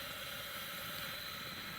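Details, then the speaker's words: Coleman Handy Gas Plant/413 stove hybrid just after shutoff: soft steady airy hiss as leftover fuel in the long generator beyond the shutoff valve boils off, giving gasoline/white-gas vapor smell; normal. "so that has to boil off that's what causes that post shutdown smell of gasoline Vapor or white gas"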